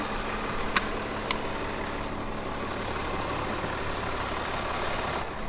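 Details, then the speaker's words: Crash-damaged Land Rover Defender diesel, about 60,000 miles, started after refitting the engine cover; even, steady idle with no knocks or misses, a couple of stray handling clicks; normal smooth diesel idle. "Ah! Job done there, time to start it up. Sounds smooth."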